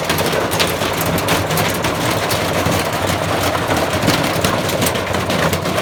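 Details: Bosch Classic 6 1200 Express washing machine hot-wired to the motor via variac, top ballast removed, objects inside: irregular heavy thumps and rattling bursts over loud spin roar; drum knocking hard, machine tearing itself apart, possibly broken spider.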